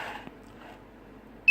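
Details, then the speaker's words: Wireless sensor network node powering up after being plugged into a socket and switched on: low room hum, then one short clean high-pitched beep; normal startup signal. "is the startup sequence if you notice the my sync node is making a different beat altogether"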